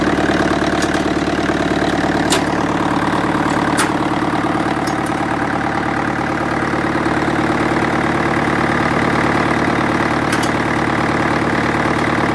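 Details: International 554 diesel tractor, left out in the weather and not run for about 5 years, restarted after adding more oil: steady, even diesel clatter at idle, about three beats a second, no misses or heavy knocks; a healthy idle.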